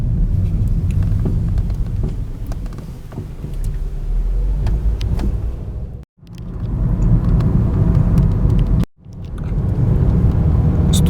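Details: Renault Logan at about 95,000 km, crossing a speed bump: a low rolling rumble with scattered sharp knocks and crunches from the front end; owner attributes the creaking and knocking on braking to worn brake pads due for replacement.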